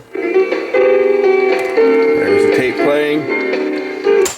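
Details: Sanyo M7015 AM/FM cassette boombox after repair and reassembly, music plays at a steady, even pitch with no warble, dragging or dropouts; tape deck playing back properly.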